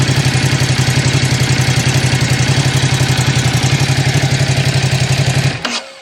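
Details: Ducati SuperSport 939 on its 5-year-old original battery (13 V at rest, 12.5 V cranking, 14.2 V running): even, steady idle pulsing about four times a second with no misses, then switched off; engine healthy.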